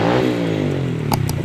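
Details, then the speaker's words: Honda XRM 110 after fixing a no-spark fault by replacing the CDI and securing its socket wiring: small single revs up cleanly and falls back, pitch tracking throttle smoothly with no misses; runs properly. "ganda na yung ating motor."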